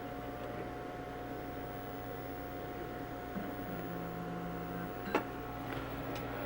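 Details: Two IBM 5155 Portable PCs starting up at the same time, one unused since the 1980s and possibly reforming capacitors; steady hum with thin high whining tones and a brief lower drone midway, one unit noticeably loud at startup, cause unclear.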